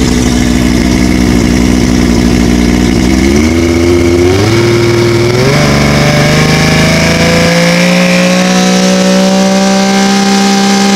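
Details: OMC Johnson 175 hp outboard on dyno at full load: pulls hard, then tone steps down and settles low and flat as power pack forces slow/limp mode; symptoms had suggested fuel starvation.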